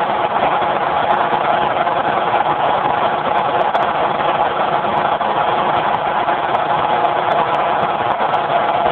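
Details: Generator converted to run on natural gas, with a solenoid safety shutoff valve: constant, even engine drone with no hunting or stumbling, muffled by a poor phone mic; it runs smoothly despite the recording.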